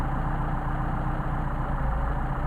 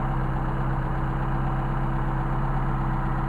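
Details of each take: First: Mercedes 190SL Solex carburetors, each running independently during idle mixture adjustment: low, throbbing idle sags as rpm drops off with the mixture screw turned toward the extreme; rough idle from incorrect idle mixture setting. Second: 190SL with Solex carbs, warm, tachometer reading about 965 rpm: steady, even low throb with no misses, knocks or hunting. A healthy idle and a great running set of carbs.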